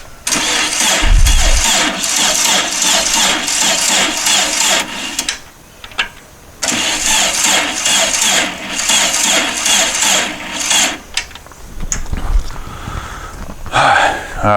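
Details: Dune buggy after new fuel pump pushrod install and tightening fuel pump inlet hose, fuel on, accelerator pump squirting: long bursts of steady starter churning with short pauses, never catches; cranks fine, no start.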